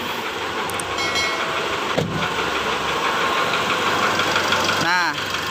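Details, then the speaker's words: Mitsubishi Triton diesel at idle, check engine light off, injector cut test pending: dull uneven knock about three per second in the clatter, suspected injector or loose piston slapping in cylinder one. "Masalahnya di sini adalah mesin tertentu ini mengeluarkan suara ketukan yang aneh."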